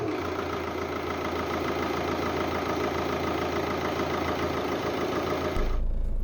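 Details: 2006 VW Golf Mk5 2.0 L BKD TDI diesel, cold, idling after MAF sensor cleaning that fixed earlier rough running: steady diesel clatter at an even idle with no misses or hunting; healthy idle.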